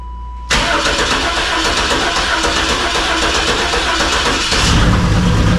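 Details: 1988 Camaro RS that sat over a decade, fuel system redone and fuel pressure confirmed; starter cranks briefly then engine catches cleanly and settles into a steady even idle with slight rise near end; normal start and idle.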